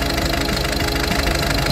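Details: Peugeot 308 after repair of misfire with new injectors (number 1, 3, 4), timing belt and water pump, codes cleared: steady even idle with regular beat, no stumble or shake; all cylinders firing cleanly, normal idle.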